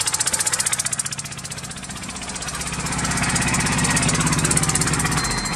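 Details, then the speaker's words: 1998 Geo Metro three-cylinder with a lumpy, uneven idle and a steady stumble about four times a second; the plug on the bad cylinder sparks fine, so it is a dead cylinder running on two; dead cylinder misfire. "now if the spark plug has spark then that means we got a dead cylinder for sure okay she's running on two cylinders"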